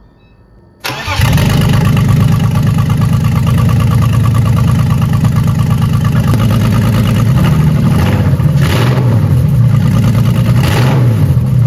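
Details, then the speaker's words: BMW E30 330i on its first start after swapped fuel hoses were corrected and air was in the fuel circuit: it cranks and fires cleanly, then settles to a steady, even idle with slight blips. Normal idle. "donc là écoutez le bruit ça a déjà plus rien à voir là on sent que ça en"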